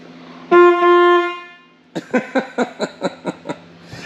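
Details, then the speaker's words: 1983 Ford CL9000 cabover, cab powered on a stand off the frame: one long, steady horn blast, then about eight short, evenly spaced toots; horn clear and strong. "so this the horn button in huh yeah nice"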